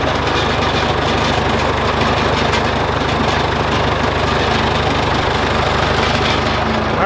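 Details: John Deere 410C backhoe diesel on newly replaced batteries (old ones weak), alternator reading 13 V: steady even idle with regular low beat, no knocks or stumbles; healthy.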